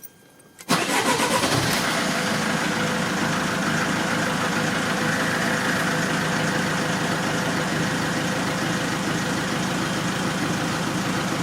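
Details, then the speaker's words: Diesel engine started after a fuel filter change: the engine catches after a short crank and runs with an uneven, stumbling beat and misfires as air trapped in the fuel system purges itself. "Ça va se purger tout seul. Ah. Là, il y a eu des ratés."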